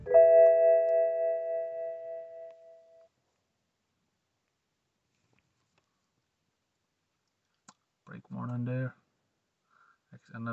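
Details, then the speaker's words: Dashboard warning chimes, a short series of clear dings fading out, on a white BMW 116i (E87) that broke down and sat 1.5 years as a non-starter; with ignition on the engine cranks (battery fine), and brake and general warning lights are chiming. "In the case of warning displays, very annoying beeps from BMW."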